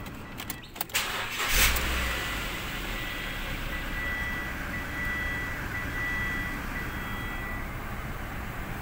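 A few clicks, then the engine catches quickly and settles into a steady, even idle with a faint chime; starts and runs healthy.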